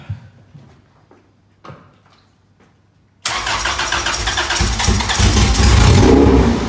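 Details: Honda Civic EG hatch project, first start after hoses reconnected: clicks, then crank and catch into a steady even idle that picks up smoothly on revs, no knocking; engine runs healthy, though coolant and oil leaks found after; normal running.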